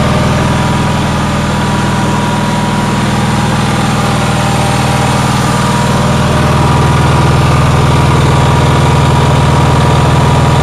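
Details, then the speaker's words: Onan generator, cold day, after fixing intermittent fuel pump voltage; stator output about 18 V: steady even drone with a quick regular beat about four per second, held well above normal idle; engine idling too high, cause unknown. "you could hear how high it was idling so if anyone has any suggestions i am willing to hear any suggestions"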